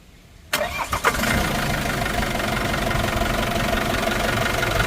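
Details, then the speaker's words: 2021 Isuzu D-Max 2.5 TD diesel with 48,000 km, engine start: catches on the first crank and settles straight into a steady even idle with no misses or knocks; engine is in good condition. "Engine sound అయితే గమనించొచ్చు అండి మీరు single self లో మనకి start అయినది అవింది బండి విధంగా చాలా బాగుంది ఇబ్బంది ఏమి లేదు"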